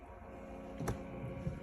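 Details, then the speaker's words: Mini fridge (HNSE05SSRF) not cooling, compressor jumped on with a wire past a suspected dead start relay; soft click then steady low hum with refrigerant flowing, no rattle, compressor runs healthy. "hopefully you can hear it compressor's running 72 you can hear the refrigerant flowing"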